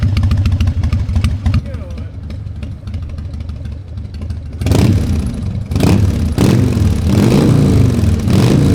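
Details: Harley-Davidson Fat Boy Evo 1340 V-twin, started after winter storage with a cleaned carburetor and jumper cables: lumpy, loping uneven potato-beat idle, then crisp throttle blips rising and settling cleanly; sounds healthy.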